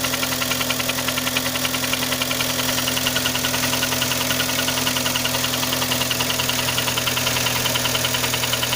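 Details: Kia Sportage 3 engine at idle with crisp regular tapping about three or four a second; knock louder cold, quieter warm, present at low road speeds, disappears at 60-90 km/h, returns on throttle lift and reapply until cruising; source unknown.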